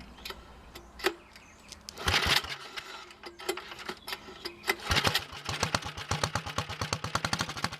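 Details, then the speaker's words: Early 1961 Wheel Horse model 401 lawn tractor, first start attempt after freeing stuck carburetor float needle, no choke: sharp raw popping exhaust beats catch and settle into a quick even rhythm, loud and unmuffled from a blown-out muffler. "i moved the camera so you don't hear that blown out muffler as much"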